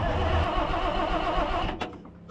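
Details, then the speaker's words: Cabover diesel truck (1993 inspection sticker), long parked, on 24 volts, four injector lines cracked with fuel on two; starter turns engine over fast for under two seconds, never catching: cranks but won't start. "Trying to give the starter a break in between all this cranking."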